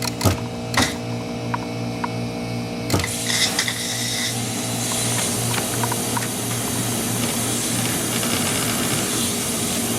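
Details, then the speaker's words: GE Nautilus dishwasher after clearing a wood piece jammed in the pump/disposer that left the motor stuck humming: a few clicks, then steady even motor hum, no buzzing or stalling; fills and drains normally again. "water is draining as well too yep seems like everything is working right now back to normal"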